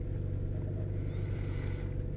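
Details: 2011 Chevrolet Cruze 1.4L turbo with intermittent no-crank no-start, where the PCM was not sending the crank signal; starts once the exhaust cam reading hits zero. Low, smooth, even rumble, normal healthy idle just after starting.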